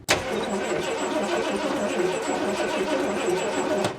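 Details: 1979 Ford F250 4x4 parked since 1994, cranked on the ignition switch: steady starter churning with even turnover but it never catches; a spark checker on the coil wire shows no spark.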